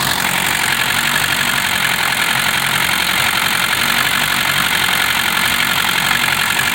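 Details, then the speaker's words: 1960 Mercedes-Benz 190D diesel restarted after new 4- and 2-gauge battery cables and ground straps and tapping the starter with a hammer; steady, even idle with hissy clatter, no misses; it smokes, so owner says it needs new rings. "i'm just really pleased it's running again and smoking so it needs new rings"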